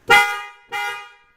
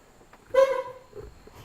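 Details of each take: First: Horns on a 1999 Mercedes ML320 after replacing both horns, whose contacts were badly corroded: two short, loud, bright toots with a clean steady tone; the horns now work normally. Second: 1999 Mercedes ML320 horn: four short honks with a thin, reedy tone and little punch, only one side tooting weakly, previously much stronger; owner suspects rusted contacts, plans to clean contacts or replace horns.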